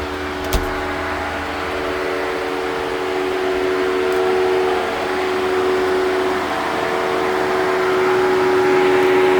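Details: Jeep Wrangler 4xe charging at 120V in 30°C (86°F) weather: a steady, loud droning hum with a few fixed mid-pitched tones. This is normal battery cooling operation, which runs until charging ends or the Jeep is unplugged.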